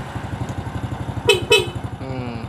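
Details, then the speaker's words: Idling motorcycle after battery service (the battery water was low, it was crusted and would not start; cleaned and recharged). The horn is tested: steady idle, then two short, clear horn blasts about a quarter second apart. The horn sounds strong and normal now that the battery works. "Sip rating kiri sudah bisa kita klakson bos masuk"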